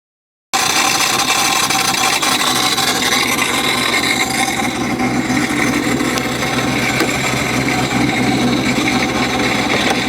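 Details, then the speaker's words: Modified car cruising at 2,000 RPM: a constant loud, harsh metallic rasp coming out of the intake. It is RPM dependent and the belt is still on. Cause unknown; the owner hopes something is just loose. "This noise just happened when I was driving at 2,000 RPM down the road. Very loud coming out of the intake."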